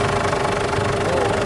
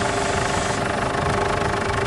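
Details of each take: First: Ford Everest idling while the steering wheel is turned after replacing old, thick, never-changed power steering fluid; no pump whine or groan, steering noise gone. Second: Ford Everest at idle after power steering fluid refill, steering turned: steady mid-pitched whine and groan as if the pump is starved of fluid; steering very stiff; noise persists, fluid to be flushed again.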